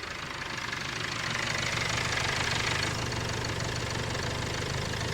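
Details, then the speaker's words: Land Rover Discovery Sport diesel, not warmed up after under half a mile, temperature gauge at minimum; steady low thrum and even clatter at cold idle, no timing chain rattle: sounds healthy. "nothing, no rattling. So that's how it should sound whenever you want to buy a Discovery like this."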